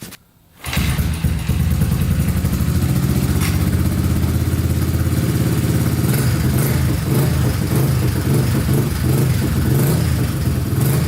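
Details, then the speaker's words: Honda Big Red ATC 200 three-wheeler, sat over six years, just refilled with fresh oil: it catches quickly and settles into a steady, even beat with no knocking or misfire; runs great. "Alright, runs great. We're going to let the oil settle and then check the level again."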